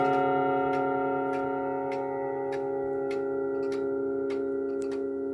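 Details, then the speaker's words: 1940s Manufrance box clock (1945–46) with a Girod movement, long pendulum and Saint Etienne rod chimes. Sustained ringing rod tones decay over steady ticking, with some notes slightly flat: flat chime rods and an out-of-tune strike, left unadjusted. "Uh but I'm warning you that this is not the best sounding example out there. Uh it sounds a little flat and the strike is a little out of tune."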